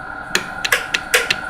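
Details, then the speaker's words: HP 8656A signal generator under repair, switched 100 to 80 to 90 MHz then amplitude changed: crisp separate attenuator relay clicks, about seven in under two seconds over a faint tone; normal switching. "You can hear the attenuator relays clicking, so that's all wonderful."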